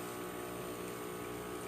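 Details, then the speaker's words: Breville Barista Express espresso machine after pump replacement and OPV adjustment: steady, even pump drone at constant pitch with no surging or rattling during a programmed two-ounce shot, gauge in espresso range; normal espresso pump operation. "now we will be extraction as you can see the gauge goes all the way to the espresso range and it's coming out nice and steady"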